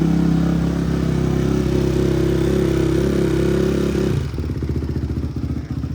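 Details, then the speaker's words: Barn-find Honda CRF after carb rebuild, valve adjustment, new plug, chain and sprocket, not run for a week: single cylinder catches and revs cleanly, then even steady idle, no smoke or misses; healthy. "Sounds good. No smoke. Smells good."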